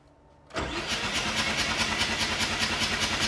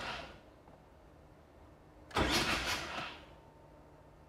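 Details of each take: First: Mazda 7 rotary engine that sat for years, cranked with plugs out to build oil pressure before compression test: steady even starter cranking, no catches or grinding; good oil pressure, normal cranking. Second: 7 rotary engine that sat for years, oil pressure gauge fitted, bumping the starter to check it turns freely before compression test: two short bursts of brisk even cranking, no firing; starter solenoid suspected failing; cranking sounds normal.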